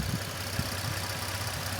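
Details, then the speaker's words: Nissan D41 Frontier idling right after a Z1 Off-road oil catch can install with the intake and throttle body refitted: steady even idle with a faint small hiss. No leaks were found and a rev showed nothing, so the install is successful. "All right, she's up and running. Not leaking anywhere."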